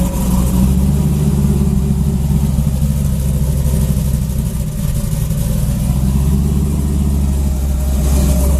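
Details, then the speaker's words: Junkyard 5.3 V8 Camaro, TH400, stage 2 cam, headers, 92mm throttle body, tuned without MAP sensor, cold start in the mid-30s°F: even, deep idle with a steady low rumble, no ticking or surging, a little rough at first then cleaning up. "it's always a little angry when i first started it cleans up though"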